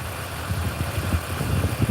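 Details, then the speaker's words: 2004 BMW 325i E46 with 233,000 miles at idle: low uneven rumble with irregular lumpy pulses and no steady beat; it is still misfiring and running rough, owner suspects the coil packs and wires. "Still ain't running exactly right. Nah. Might have something to do with that mountain too."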